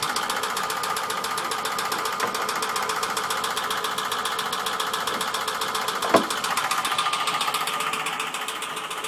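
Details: Ford Sierra OHC 2.0 carburettor engine running: fast, sharp ticking about four a second over a steady run; clear mechanical engine knock, cause not known.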